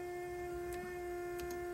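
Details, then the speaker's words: 1993 Toyota MR2 SW20 with swapped 2GR-FE V6, key on and engine not yet run (cold) while testing new oil pressure and temperature gauges; a steady high whine holds one pitch with no grind or flutter: the power steering pump running normally. "I think with that, let me turn this thing off so you don't have to hear the power steering pump."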